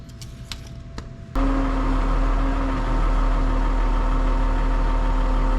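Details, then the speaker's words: Tractor PTO that was grinding and not engaging, after splitting the cover and reassembling the PTO with copper crush washers: spins up with a clean steady hum over the engine, no grinding or gear clash; repair successful. "Well, guys, she spins up, doesn't grind anymore. We got her."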